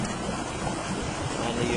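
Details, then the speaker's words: Backyard spa powered up during a home inspection, with the pump turned on. Steady rushing water churn over a constant low drone, no surging or rattles; the spa pump is running normally. "I've powered up the uh Spar and the pump's turned on and The Spar is running now"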